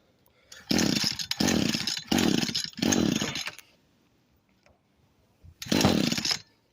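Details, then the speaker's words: Echo SRM 225 string trimmer that wouldn't start, after cleaning a part and choking: four short revving bursts sag and cut out, then a brief restart also dies; bogs and won't keep running, cause suspected, not confirmed. "So I think that made it a little bit worse. Let's start. So as you can see, that's what happened."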